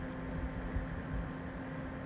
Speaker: you can hear how noisy they are this is actually set on medium okay so that's now running at full speed